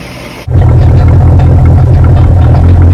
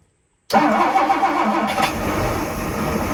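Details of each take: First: 1967 Chris Craft Roamer yacht, Ford 427 (the previously locked-up one) after 11 years sitting, restarted with more fuel in carburetor: catches at once into loud, deep, slightly uneven V8 rumble; idles fine, needed starting fluid earlier. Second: 1967 Chris Craft Roamer yacht, Ford 427 engine unrun about 11 years, gas poured into carburetor, choke and coil jumper used: catches at once, steady idle about eleven seconds, then dies as the primed fuel runs out.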